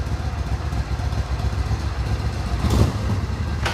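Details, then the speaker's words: 1994 Suzuki Intruder 1400 cc V-twin with 12,000 miles, fully detailed, electric start: a deep, even low rumble with a steady loping beat and no knocks or rattles; a smooth, healthy idle. "bike runs absolutely perfect fires right up electric start fur's like a kitten"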